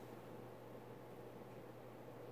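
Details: Emerson 1895 Series 52" ceiling fan CF4352PB04, KB-55 stack motor, mid-late 1980s, on high speed: quiet, steady airy whoosh with a faint constant motor hum, slightly more than expected, and no grinding or ticking. Running normally.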